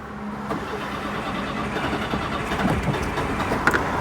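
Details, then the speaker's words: Citroen GSA air-cooled flat-four, HT leads sprayed with water, then WD-40: uneven cranking with ragged, stumbling catches that never settle; misfire from wet HT leads. "we'll go and soak her with um a fine spray of water and that'll probably upset her again"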